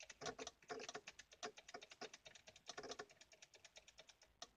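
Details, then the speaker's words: GMC S-series truck with electrical faults (radio, wipers, windows, air/heat cut out; ABS and brake lights stay on; no blown fuses): rapid, irregular light clicking in bursts inside the cab. Electrical clicking, source unknown. "don't know what that clicking is. Now let's try to turn it on."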